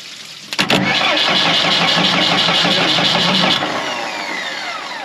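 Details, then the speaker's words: Morbark 2400XL track chipper's 4BT diesel after bridging with a bolt to let it get fuel, since the electronic kill is dead: the starter grinds steadily at about two beats a second, it catches briefly, then winds down; fuel now reaches the diesel. "She wants to start now. That's it."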